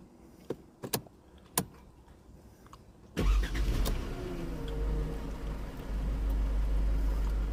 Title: Mercedes c180 first start after timing chain replacement #automobile